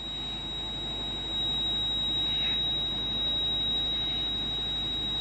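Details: Steady high electronic tone in the cabin of a 170-series Toyota Crown Majesta (1UZ-FE V8) during scan-tool diagnosis; ABS warning buzzer from low ABS pump pressure.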